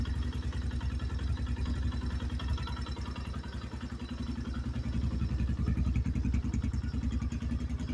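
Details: 2024 Xpro Knight DLX 250 single-cylinder engine running steady with a light, fairly regular tapping riding on the exhaust beat, about three or four a second; engine knock, source unconfirmed.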